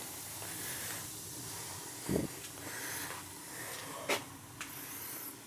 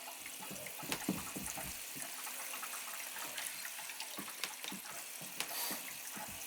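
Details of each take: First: Gas boiler after replacing a leaking circulator with a new 07 circulator and purging zones, one zone calling: soft steady burner rush under light handling clunks, firing and running normally; vents cleaned of dust. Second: Gas boiler hydronic zone purge, water throttled on and off to avoid blowing relief valve: water rushing from hose with irregular spits and gurgles as trapped air blows through.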